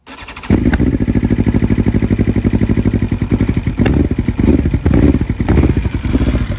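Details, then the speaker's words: 2020 BMW S1000RR (K67) cold start on stock software just flashed back from a tune: catches after a short crank into a high, uneven lumpy idle and stalls, needing restarts; one ignition coil failed, one cylinder misfiring. "so obviously you can hear that one of the coils just shot and um i had to you know restart it a couple times"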